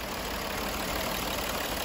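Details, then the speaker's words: 2011–12 Audi Q7 diesel, arrived crank-no-start with suspected high-pressure pump failure: rough, uneven running with dull lumpy beat under the clatter, running on five cylinders; one failed injector pumping diesel into a cylinder. "Fast, down, dirty, five-cylinder, running on five-cylinders. Now, one injector after failing, don't know what happened to it, but it must be pumping diesel into a cylinder."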